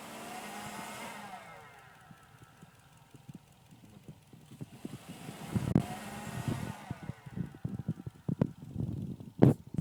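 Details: 2005 Subaru Legacy GT with a replacement turbocharger failed at 1,200 miles: whistle rising and falling with revs and a rough rattle under boost, coming from the turbo centre. Extremely noisy shaft bearing.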